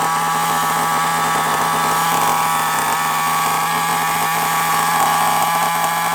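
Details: FTX Carnage nitro RC car, glow plug heated: high steady buzzing scream holding even pitch without stumbling; engine running cleanly and healthy.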